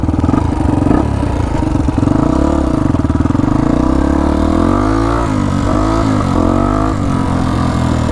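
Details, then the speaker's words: 1999 Honda XR250R single-cylinder dirt bike after flood top-end rebuild, still warming up: idling and revving with light fast ticking; one valve found very loose, ticking fixed by valve adjustment. "Yeah, I can really hear the ticking. Still warming this thing in, by the way."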